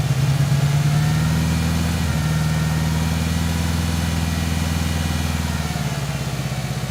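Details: 1997 Ford Ranger rough idle: low, lumpy idle with uneven pulse and stumbling beat; cylinder 1 at 60 psi vs 180 psi others, leak-down air from crankcase breather, oil cap and dipstick tube, so dead cylinder from cracked piston rings.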